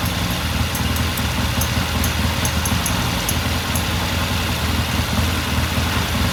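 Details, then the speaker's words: 1969 Triumph TR6 motorcycle twin after cleaning the pilot jet and turning the pilot air screw half a turn, left idling after a hard-kick cold start: steady even low idle, slightly lumpy beat, no knocks or misses; normal warm-up. "It sounds good. I'm just going to let it sit here and idle for a while."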